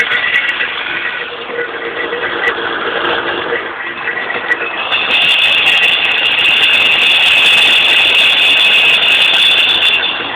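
A fast, tinny rattle, about three a second, over the running engine, growing louder halfway through; source still unknown.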